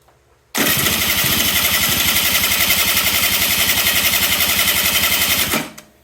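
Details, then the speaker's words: Kymco 50cc two-stroke scooter, carburetor already cleaned, no start: steady fast cranking for five seconds with no firing; mixture too lean, starts only when intake covered; electronic choke plunger suspected not moving. "you get nothing. Now, if we put our hand over this, richen up the fuel mixture a little bit, it'll start and run. So, trying to figure out what the issue is here. These actually have an electronic choke on them."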